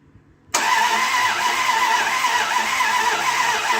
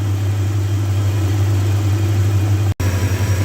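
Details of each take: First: 2001 Dodge Ram 1500 after a used replacement engine swap, at first start with fuel drained from the rails: eight seconds of steady starter cranking with the fuel pump cycling but no catch. The pickup coil (crank sensor) wire was pulled from its plug, causing the crank-no-start. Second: 2001 Dodge Ram 1500 after swapping in a good used engine to replace one needing a crankshaft, first run warming up: deep, even idle burble with a steady hum, no ticks, knocks or stumbles; a nice running engine.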